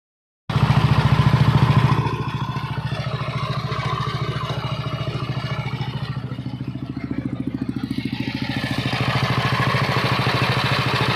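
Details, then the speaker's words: Yamaha NMAX version 1 scooter engine, dirty and sand-filled: steady knock and tick that grows louder with revs, the "helicopter" sound, traced to a worn camshaft bearing. "Pero ano ah lumalagutok. Ito yung tunog helicopter mga idol sa NMAX version 1."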